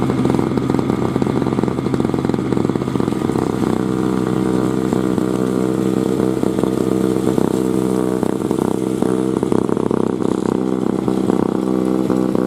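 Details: 2003 Murray single-stage two-stroke snowblower, first run in 5 years, clearing snow: steady buzzing drone holding pitch under load with no sputter or surge. Runs evenly and healthy; it started first pull after priming.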